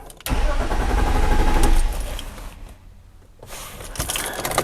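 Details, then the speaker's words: 2002 BMW 325i E46 trying to start: starter spins engine evenly about a second and a half with no firing, most dash warning lights absent; crank no-start traced to faulty ignition switch. "basically i'm gonna try to start the car you can hear it it cranks no problem but does not start"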